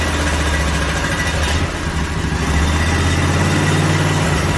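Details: Briggs & Stratton 18.5 hp V-twin, sat outside for 20 years, first fire on an engine stand with oil left low: fires and holds a steady, throaty, even thump; runs cleanly and sounds healthy.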